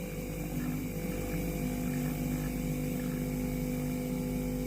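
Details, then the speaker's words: Philips PSG7014 steam iron after water pump replacement, reassembled and powered on: steady even electric buzz with constant low hum, no rattles or surging; water pump running normally. "Conectați cablul de alimentare și porniți mașina. Ar trebui să auziți pompa de apă funcționând și aburul ar trebui să înceapă să"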